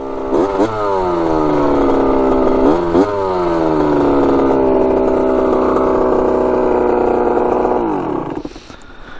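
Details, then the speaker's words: 1985 Yamaha YZ80 two-stroke dirt bike after a rebuild, warm: it revs freely through several blips, then holds a high, steady buzz. The exhaust is loud because the silencer is not working well. Clean, healthy, normal two-stroke running. "she's sounding pretty good that's crazy obviously the silencer is not really working too great but uh yeah she's ripping good"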